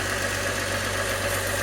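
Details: 1998 Mk III Jetta VR6 12v after spark plug change for rough cold starts: steady, even idle with smooth low hum and no stumbles, misses or hunting, revs better without bogging; normal idle.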